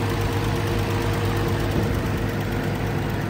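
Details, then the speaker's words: Allis Chalmers D19 tractor, barn-stored over 20 years, after carburetor cleaning and new plugs, running off a boat tank: steady even low thrum, constant beat, no knocks or misses; smooth normal idle. "we got her running now as you can tell and she sounds really smooth don't"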